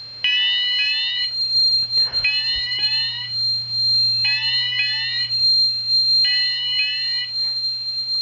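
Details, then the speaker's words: Advanced MX4100 fire panel put into alarm via cause-and-effect function 2 (shed): repeating sweeping alarm tone in bursts with a rough crackle; owner unsure why, suspects the piezo coming loose. "Hear that cracking there? I'm not quite sure why that's cracking. Maybe the piezo is coming loose or something."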